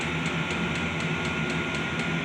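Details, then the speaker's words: Diesel heater in an enclosed room, revving up and not yet blowing warm air: steady fan rush with a constant whine and faint regular pump ticking as it builds; running normally. "So, there is air coming out here. It's not warm yet, but as you can hear, this thing's revving up. And once it gets going, it works great."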